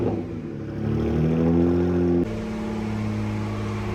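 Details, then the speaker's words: Freshly built BMW 335i N54 twin-turbo six (MMP 53/53 turbos) on first-startup break-in, 2,000–2,500 RPM for about 15 minutes to seat piston rings; steady fast idle easing up and settling higher, smooth even firing; normal. "All right, guys, doing that break-in right now. I got the timer going. We're doing 15 minutes, maybe 20. I think I'm gonna go 15. Oscillating from 2,000 RPM up to 2,500. This really just seats the piston rings in."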